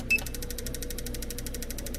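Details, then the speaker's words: Mr Cartool injector tester running an idle speed test at pulse width 3 of 4 with Varsol and fuel system cleaner: crisp, even ticking at about thirteen per second over a faint pump hum, no skips; injectors pulsing normally. "So we'll fire this up, and when I do, I'll try and set the fuel pressure up to about 50 pounds,"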